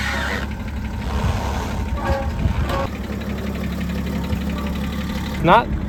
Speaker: He put in a lot of work into it and one day it started knocking on him.